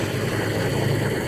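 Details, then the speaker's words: Salvage-auction Toyota Tacoma, wrecked front end, battery found lying on its side, water in overflow tank: brief start gives an even, steady idle with a smooth low drone, no ticking, knocking or stumbling; engine sounds healthy. "But it sounded good for the seconds that we ran it."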